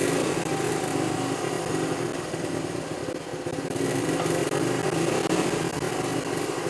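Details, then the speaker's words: Honda CT90 single-cylinder motorcycle idling on its aftermarket carburetor, before swapping to a cleaned, rebuilt OEM carb: uneven putter that wavers and briefly sags; it doesn't idle well and is sluggish on takeoff. "Because that's the biggest problem I've had with this aftermarket one is it really doesn't idle that well, and it's a little bit sluggish on takeoff."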